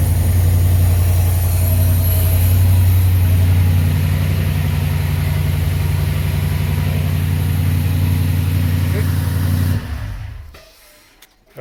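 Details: 2009 Mustang (formerly V6) with a swapped 5.0 Coyote V8 and 2014 Mustang GT harness, first start: deep even V8 rumble at steady idle for about ten seconds, then clean shutoff; engine runs fine.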